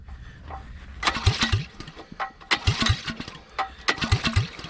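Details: Honda GX270 9HP engine swapped into an old Suzuki LT185 frame, open exhaust pipe, switch on and choke on: bursts of recoil pulls with a few compression thumps each, never catches; cranks without starting, cause unconfirmed.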